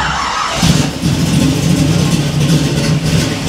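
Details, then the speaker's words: 1967 Camaro V8, first start on the key after rewiring with a cheap kit, in neutral, throttle worked by hand: engine catches after cranking with good oil pressure and revs up and down, deep steady rumble, clean even firing; healthy start. "a this thing sounds good look at that see if it'll run long enough we'll shut it off with the key and not let it die"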